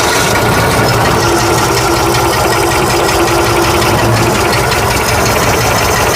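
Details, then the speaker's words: 1965 Ford F100 240 six after carburetor replacement, oil change and radiator top-off: an even, unbroken idle with a steady low pulse and no misses or stumbles. The engine idles cleanly. "I wonder if I should idle it up just a wee bit more I don't know how much it was hopefully a week okay let's fire it again cuz I like to hear it run"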